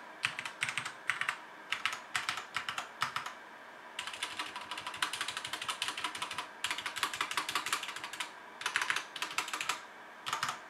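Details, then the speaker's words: HyperX Alloy FPS Pro mechanical keyboard with Cherry MX Red switches, PBT plastic keycaps and an aluminum top plate, in a typing test: even bursts of crisp, light clacks with no scratch, rattle or sticking. Normal, healthy typing sound. "this sounds pretty good this is cherry mx red switches with pbd plastic keycaps and an aluminum top plate so it's how this keyboard sounds"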